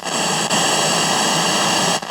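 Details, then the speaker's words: 1969 Concord F400 portable cassette recorder after belt replacement, volume wide open: a loud, steady hiss, suspected noisy germanium transistor in the amplifier. "So that definitely sounds like a noisy germanium transistor."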